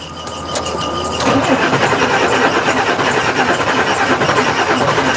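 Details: 1986 Ford CF7000 5-ton rollback with a Brazil Ford 6.6L diesel that had trouble starting (owner suspects the batteries): brief starter crank, catches in about a second and runs steadily; normal crank and start.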